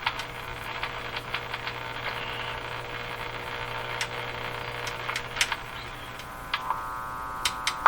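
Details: Eaton's Universal Electrohome floorstanding tube radio after replacing the last two wax capacitors: constant low hum under faint static and tuning squeals, unchanged as the dial moves; mains hum, radio still performing badly.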